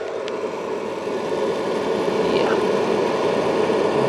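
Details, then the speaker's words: 12 V battery charger gives a steady hissy sizzle, growing louder as the current control is turned up, regardless of actual charge current; suspected unhappy electrical connectors inside, and the charger leaks voltage to its case and clamps. "you get a lovely sizzling sound like you've got a nice burger on the grill yes is T look at that sounds sounds like aw it sounds like yeah it sounds like some electrical connectors inside aren't happy"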